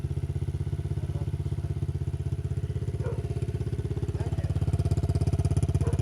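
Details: Loncin 70cc ATV single after cheap top-end rebuild, no air filter or exhaust: quick even putter holding steady, picking up slightly; normal running.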